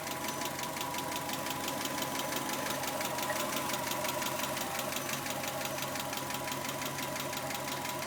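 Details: 1991 Subaru Legacy: light quick ticking about three a second over smooth idle, seemingly from driver side; owner suspects hydraulic lash adjusters, not confirmed.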